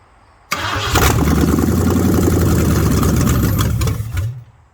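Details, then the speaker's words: Ford Mustang 302 V8 pulled from barn, cylinders oiled, coil and starter wires jumpered, in park: short crank then catches and runs with even lumpy idle about three seconds before shutting off; oil pressure rises to 40 psi, healthy start. "It starts, and it kicked up to 40 psi. That's not too bad."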